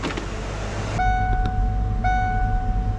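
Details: 1995 Ford Mustang GT V8 after distributor replacement and ignition timing set with a timing light, fixing its rough idle: steady, even idle with a smooth low rumble and no stumble or miss; normal idle.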